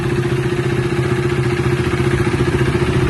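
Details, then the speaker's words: Used KTM RC motorcycle in proper condition idles with a steady, even low single-cylinder thump, about three to four pulses a second; normal idle sound. "ఇది proper కండిషన్లో అయితే ఉంది vehicle ఇది. So ఐడిల్లో అయితే ఇలా sound వస్తుంది బండి."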